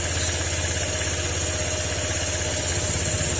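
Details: Honda PCX160 scooter whose ECU and ignition coil were damaged by a rapid backfire module, after a wiring check: quick, regular putter at steady idle with no misfires, pops or hunting; normal idle.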